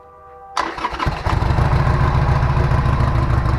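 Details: 2012 Harley-Davidson Sportster starting after its revival with the tank refitted and fresh gas: the fuel pump whirs briefly, then it cranks and catches at once into a deep, steady, lumpy V-twin idle. Healthy start.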